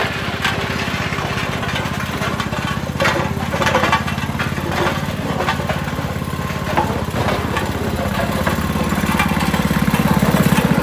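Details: Western pavement roller, 8 hp Tecumseh single-cylinder, after replacing the varnished original carburetor with a new aftermarket one: steady, even chug under load with no misses or surging; running smoothly and strongly.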